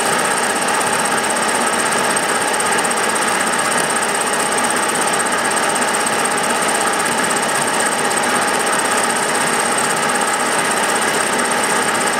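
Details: Milling a vee-block from dense old forklift-tine steel with carbide cutters, an angle cutter and coolant, taking 1 mm cuts: a harsh, rapid buzzing chatter with a gritty metallic edge, louder as cuts deepen. Chatter from a cheap Chinese arbor's runout.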